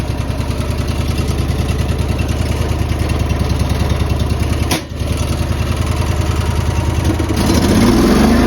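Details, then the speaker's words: Honda EB 11000 generator on propane at high tank pressure (175–200 PSI), auto idle on, after fixing the flow-restricting tank connector: even, steady thumping idle at about three beats a second, brief dip, then picks up smoothly; normal idle. "And we'll hit the starter and leave this on auto. Hit the starter. Idles right up and goes right down to idle."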